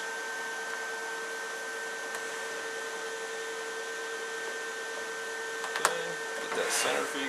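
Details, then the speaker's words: Liebert GXT3 UPS powering up with no load: a steady fan whir with a constant electronic whine, no rattles or scraping, a clean normal start-up. "You'll hear the fans kick up here in a second."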